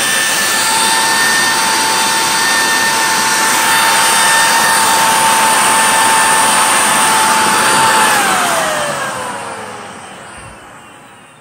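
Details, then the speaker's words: 2012 Miele Callisto S5281 canister vacuum measuring 134 CFM: a steady high motor whine that drops as the motor spins down. The owner suspects worn, dry motor bearings needing a repack or a new motor. "that to me it sounds like probably time for new motor / new bearings really it just probably needs bearing repack"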